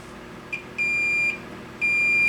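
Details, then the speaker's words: 25-inch K7000 arcade monitor chassis blowing fuses: two steady high continuity beeps across the horizontal output transistor's legs show a dead short; the short goes once the HOT is lifted out of circuit, confirming the HOT failed. "And since the HOT is the most likely candidate, we'll just take it out of circuit."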